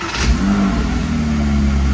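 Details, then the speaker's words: 2005 Porsche Boxster S 987 after new air oil separator, air filter and intake and throttle body cleaning, first start; steady even low rumble, no knocks or misses, normal idle, less smoke than before. "Well, sounds like it's running good. All right. I don't see any issues. I don't hear any issues."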